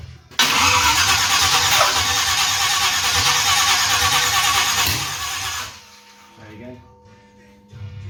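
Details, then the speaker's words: Rebuilt small-block Chevy for a 1970 GMC C10-to-K20 conversion on a stand, first start attempt: fast, even cranking for several seconds that never fires. No-start; timing possibly a tooth off (suspected); the old tractor battery is running down. "Try it. Sounds like it's tooth off. Yeah, could be."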